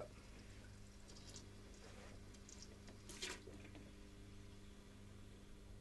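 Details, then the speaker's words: Small pump transferring water between vessels, after cavitation was cured by adding water to raise suction head and energy available to the pump: quiet, even motor hum with light water sounds; normal pumping, no cavitation. "The pump is happy. We're pumping. We're pumping."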